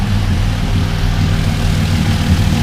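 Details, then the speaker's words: Mk1 VW Caddy V6 4motion first start, 3.5-inch straight-pipe exhaust with a silencer added; deep, steady, civilized rumble with no misses, knocks or rattles; normal smooth idle. "sounds very civilized once I was expecting to be consumed or outer because it's a three and a half inch straight pipe put a silencer on it but that sound quite nice"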